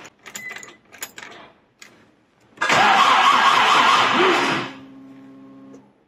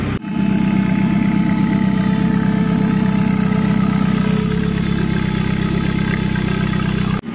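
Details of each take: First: Commer with 2.3 turbo, newly fitted in-tank fuel pump (Range Rover P38 fuel pump, Walbro 255 lph), ignition on with possibly flat battery: after handling clicks, a short steady electric hum for about a second; normal pump prime. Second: Commer van with 2.3 turbo, old external fuel pump before in-tank conversion: thin steady high tone over the even idle that doesn't follow engine speed; noisy external fuel pump whine.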